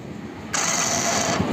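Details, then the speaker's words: Hero Passion Pro motorcycle on electric start; a sharp, loud high-pitched whirring screech under a second as the starter engages; starter engagement noise, gone after repair. "आप लोग सबसे पहले sound सुनो जैसे ही bike को start करते हैं एक साउंड बहुत जोर से आता है सुनो"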